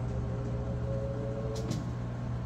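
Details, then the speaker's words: Samsung king-size top-load washer with a heavy load of towels on the extra-high spin setting: a steady motor hum whose tone steps up as the drum gathers speed in increments while draining. This is a normal spin ramp-up. "so if you can hear it speed up there it's getting faster and faster and what happens is the drain's running so as it speeds up more and more water is getting pulled out of the clothes and it's gradually bringing that speed up to full speed"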